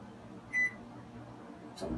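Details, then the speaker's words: Sole elliptical after replacing handlebar incline/resistance button, wiring flipped to fix reversed direction: one short high console beep on press, then soft clunk about a second later as incline responds; up and down working normally. "every time you here are people in the council half a second later you should get a response on the incline"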